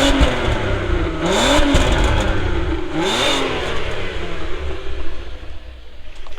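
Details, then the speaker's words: Audi TT 3.2 V6 Quattro revved: crisp blips rise and fall twice cleanly, then settle to a smooth idle; healthy engine sound. "I wanted the 3.2 Quattro, and I fell in love with the sound of the car. It sounds incredible."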